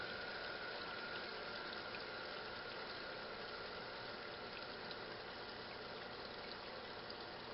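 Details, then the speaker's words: Restored 1956 Whirlpool Imperial belt-drive washer agitating after filling with a perforated tub: a quiet, even swish of water with a faint steady whine underneath. The belt-drive agitation sounds smooth and normal. "and look at her dog making that distinctive sounds only whirlpool belt-drive can make oscillating up very comforting"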